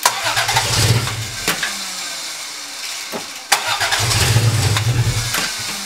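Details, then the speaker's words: Barn-find 1980 Toyota Celica Supra, unstarted for years, new battery fitted: starter churns in uneven bursts but it never catches; owner suspects the fuel pump, later replaced but probably needing priming; crank no start. "we couldn't get it started pretty sure it was the fuel pump I removed it"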